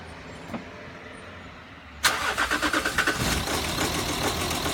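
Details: Jaguar XF 2008 2.7 TDV6 diesel cold start: lumpy, stumbling idle about three beats a second. The misfire persists after the exhaust flexi pipes were repaired and lasts 30–60 seconds from first start of the day, worse in colder weather.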